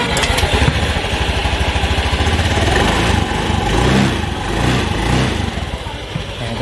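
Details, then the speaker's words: Honda Vario 110 scooter that judders on initial pull-away, running and revving: an uneven crackling "kretek-kretek" rattle from the CVT side. CVT suspected dirty; clutch judder and rattle possibly from worn clutch shoes. "Oh iya tuh ini ada kendala di kalau abis jalan itu dia greget gitu nah ini habis sementara di tanggul dia suka ada Fargo margoy ini juga ada suara-suara kretek-kretek"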